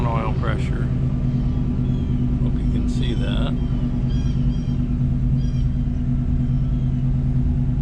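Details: 1968 Ford Mustang V8 at idle with new Flowmaster-style mufflers and GT tips: deep, even burble with steady low rumble and no knocks or misses; healthy.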